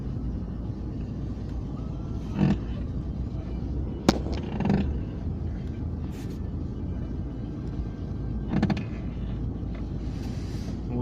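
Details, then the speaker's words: Daewoo Lanos with power steering, parked at idle; three short creaky squawks as the steering wheel is turned, steering squeak of unknown cause. "Наблюдается такая ситуация на Ланосе с гидроусилителем. Скрип при повороте руля."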